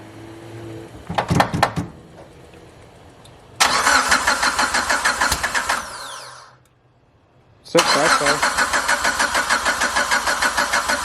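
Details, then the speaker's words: Car just fitted with FP Red turbo, first start with open downpipe, no exhaust: catches after short crank, loud raspy steady idle with a blip and restart; no leaks, healthy running. "Alright, we're going to give her a start. It's open downpipe, so it's going to be really loud, but just make sure nothing leaks or anything."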